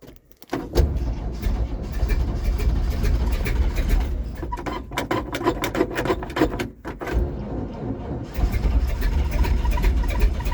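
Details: Cold start of a 1951 GMC Van Pelt fire engine inline-six at about 38°F, unprimed for a long time, with pedal pumping. The engine surges up unevenly and won't return to idle, a runaway that never happened before. Throttle hanging up.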